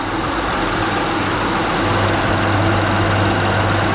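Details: Honda Accord V6 LX after replacing both AC and radiator fans: steady even whoosh of both fans over a smooth idle, no rubbing or rattle; fans running normally.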